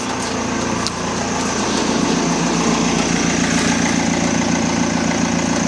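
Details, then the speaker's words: BMW E46 320d Touring diesel idling after a fresh start: steady, even idle; the inline pre-supply pump's earlier loud high-pitched whine is gone and the in-tank pump is silent. Engine sounds sweet. Normal idle. "The in-tank pump. Yeah, silent. Engines idling, perfect. Engine sounds sweet."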